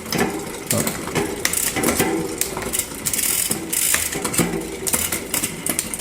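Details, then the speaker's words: Trek Top Fuel mountain bike drivetrain whirring with irregular sharp pops as the chain skips on shifts, wanting to go up a gear; likely a worn-out cassette plus a derailleur hanger needing alignment; chain also replaced. "I can hear it popping. I think it wants to go up."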